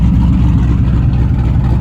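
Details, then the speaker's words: Muscle truck V8 on Holley Sniper EFI after a failed injector was repaired and retuned, idling with exhaust cutouts open, Magnaflow exhaust: deep choppy loping beat, no miss or knock; normal idle. "Oh man, I'm so hot that this thing is finally running right. Listen to that chop too, boys."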